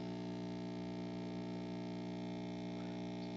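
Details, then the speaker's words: 1960s Zenith MJ1035 AM/FM tube radio on a variac and isolation transformer, brought up to 120 V with volume down; steady low buzzy hum that grows with voltage; suspected failing filter capacitors. "okay so it actually works but it sounds like we probably have a capacitor issue or something"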